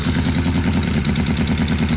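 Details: New Cison L4-175 flathead four-cylinder model engine on first runs, not yet broken in: fast, even beat with a steady low throb, no knocks or misses; running cleanly.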